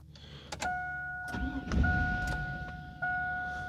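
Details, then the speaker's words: Chevy GMT800 Vortec V8 truck, third crank of the Passlock VATS security relearn procedure: the starter cranks in short bursts with a chime but the engine never catches; the security system still locks out the start. "All right, it didn't start. This is test 2."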